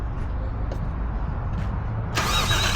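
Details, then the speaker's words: 1JZ-swapped Toyota Cressida after a new alternator was fitted: a low rumble, then the starter bites in and spins the engine briskly and evenly with no drag; normal cranking. "Bam. All right. Good to go."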